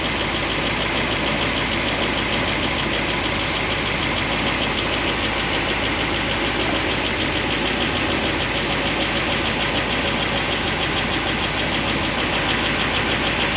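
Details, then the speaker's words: 1976 Corvette with solid roller lifters on a hydraulic roller cam: warm idle (about 200, thermostat open) after resetting valve lash from 10 toward 5 thousandths; a quick, light top-end ticking remains, less than before, as pushrods rub their guide plates. "It's still making a little bit of noise, but not as bad as before."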